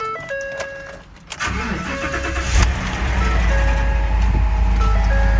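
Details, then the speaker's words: 2013 V8 salvage car at Copart, 120,000 miles, rear-end damage: brief crank, then runs a little rough and uneven at first before settling toward a steadier idle. Rough start easing off; engine sounds not bad. "okay a little rough at first but getting better not bad engine sounds good kind of it's not bad honestly not too bad"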